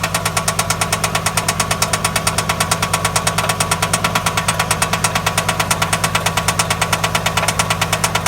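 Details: 2003 Infiniti I35 3.5L petrol V6 at 119,000 miles, startup and idle: steady even tapping about three beats a second; timing chain tensioner already replaced and exhaust checked, no codes; owner suspects precats, knock sensor or coil packs.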